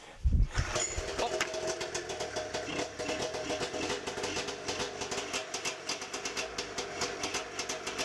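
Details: 1992 Arctic Cat snowmobile two-stroke, first start by pull cord with choke on after ignition and safety-switch wiring work. Sharp catch, then a fast, steady crackling idle with even pops and no misses; running properly.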